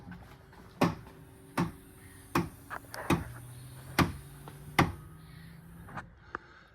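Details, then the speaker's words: 2015 Subaru with 110,000 miles: sharp pops about every 0.8 seconds over a low motor hum as the power liftgate opens, closing fine; the internal spring near the lift motor pops rotating on its post, silicone spray only briefly helped, needs white lithium grease. "I think it's coming from there I did spray lubricant but that popping is as it's opening Clos is just fine"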